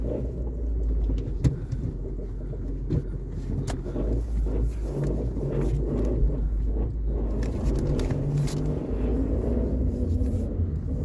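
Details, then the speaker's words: Mazda 3 manual transmission: deep running rumble with irregular clunks and rattles coming from inside the gearbox, heard before transmission removal for flywheel and clutch replacement; transmission noise. "Let's listen. That is coming from inside of the transmission."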